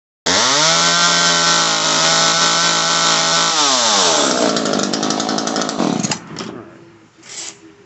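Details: Echo CS-3000 chainsaw during carburetor adjustment, air filter off: screams at steady high pitch, then revs sag and fall away within seconds instead of holding; engine bogs. Cause suspected, not confirmed.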